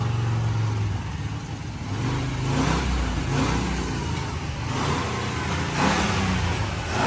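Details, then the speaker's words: C4 Corvette V8 with 650 double-pumper Holley carburetor and high-rise intake, revving with uneven exhaust crackles and pops; carburetor needs work; exhaust popping. ">> she was popping back there. >> Well, it needs a little work. That carburetor, >> she was popping a little bit."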